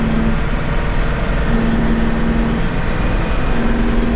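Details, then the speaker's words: Truck with a straight pipe plus muffler and an electronic exhaust cutout valve, under light throttle with the valve closed: a steady, muffled low drone with no rasp or popping, running quietly through the muffler. "if I reach down and press this check it out there straight pipe and then boom turn the straight pipe off got the little electronic valve on the exhaust hopefully you can hear"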